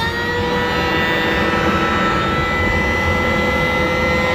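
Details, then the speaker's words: 2016 Flex Lane Machine vacuum motor after electrical repair with new brushes reseated: smooth, even high-speed whine, no rubbing or rattle; vacuum motor running normally. "sounds good [Music] break those brand new brushes in a little bit too awesome"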